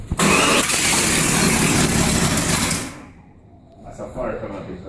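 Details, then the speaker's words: 1973 Chevrolet Nova SS, freshly rebuilt 383 stroker small block on a start attempt with no exhaust fitted: cranking bursts into a harsh loud roar with a sharp pop, dying after about three seconds; backfire during the start attempt. "There's no exhaust. It's coming right out of the guts. Is it supposed to do that?"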